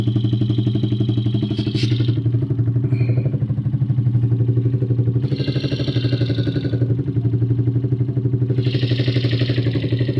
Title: Valve clearance or engine knock